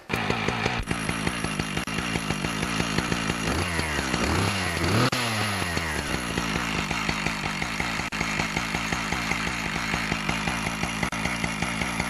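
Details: Husqvarna 575XPG two-stroke chainsaw after clutch repair, blipped lightly with no load on the clutch while checking bar oil flow; crisp even firing rising and falling cleanly with the throttle; normal running.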